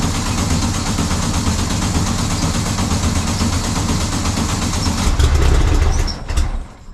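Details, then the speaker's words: VW single cab ute air-cooled engine just fitted with a new Vintage Speed stainless steel exhaust: steady, even low chug with a smooth mellow exhaust note, quieter than before, no ticking or misfires. Normal idle. "so that's the sound of the vintage speed exhaust that sounds nice yeah it does it's got a got another good night i think it's quieter it is quieter yeah totally it is quieter"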